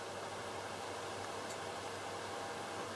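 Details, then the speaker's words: Airflow Calypso CE250 exhaust fan on a vintage light switch, running: soft, steady airy hiss with a faint constant hum. The bent grille makes it chatter at start, and it now runs smoothly. "on this vintage light switch kind of chatters at the beginning because the grille is kind of bent on it but you can hear it running now"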